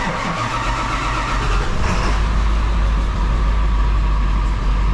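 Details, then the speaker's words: 2000 Ford F250 Super Duty 7.3 diesel, about 500,000 miles, just after turbo rebuild and exhaust repair, glow plugs not yet fixed: cranks and catches quickly, then settles into an even diesel idle with steady clatter and no knocks; sounds pretty good, running fine. "Sounds pretty good."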